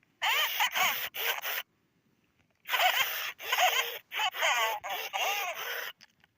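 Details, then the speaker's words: 1998–1999 Furby with burning-out speaker, before replacement: raspy, crackling, buzzing distorted voice sliding down and back up in pitch, worsening over time, headed toward mute. "You can hear how the voice pitches go down and then they go back up. You can really hear the distortion. So you can hear how she's actually progressed worse."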